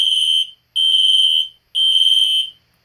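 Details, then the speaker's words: Two System Sensor Spectralert Classic horns (P121575 and P2475) on high volume: high shrill blasts in a steady three-pulse pattern, each about three-quarters of a second, slightly raspy like full-wave rectified though fed regular DC; horns sounding normally. "the alarm sounds like it's doing full wave rectifier which is fwr"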